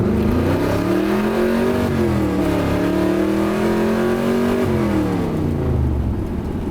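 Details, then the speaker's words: 1981 Corvette V8 after old exhaust and broken motor mount repairs, under hard acceleration: it pulls cleanly and smoothly through the revs. There is no more exhaust clanking, puffing or leak sound, so it sounds fixed. "so far so good it sounds great the exhaust has no more clanking noises there's no sounds that sounds like the air is being funneled a weird way like no no poofing noises there's none of that so i think it's all fixed"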